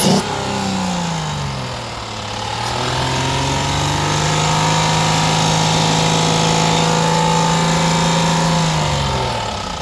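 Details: 2016 Ford Explorer 3.7L petrol V6 running and revving gently, with a faint, regular knock under the engine hum, recorded for a warranty claim inspection.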